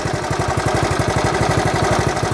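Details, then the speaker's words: 1970 Honda Trail 70 after years stored; idles perfect, even low putter roughly ten beats a second, no misses or knocks, normal idle. "won't bore you anymore but she does run she idles perfect Wright's work good just a fun little bike"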